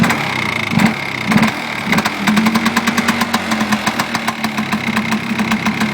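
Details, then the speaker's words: Polaris Xplorer 400 two-stroke quad, just started after nearly 2 years sitting on old premix: lumpy idle with irregular popping bursts that smooth into a steady rhythm; owner says way too much oil in the fuel, running rich. "again too much oil way too much oil [Music] sounds like it's disturbing itself out of gas yeah it is"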